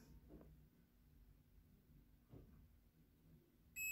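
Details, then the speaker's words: Honda Click 125 (starts then dies, misfires): old known-good spark plug tested, top terminal to center electrode, steady high continuity beep; plug passes, unlike the original plug, which had a break inside. "Yan. Ba tumutunog siya. So ibig sabihin okay yung spark plug na 'to."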